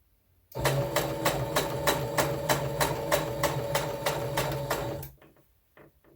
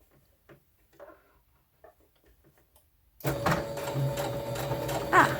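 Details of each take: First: okay my machine is making a weird noise listen to this Second: Sewing machine after a weird noise, now rethreaded and turned off and on again: a few seconds of quiet, then fast, even stitching chatter over a steady motor hum; sewing smoothly and normally.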